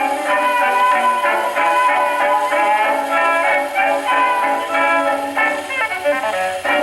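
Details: Paillard model 302 portable gramophone, suspected late 1930s, with a large factory reproducer and small horn, playing an early-1920s acoustic record: brass band at a steady pitch with no wow or rattle, coming through the small horn cleanly.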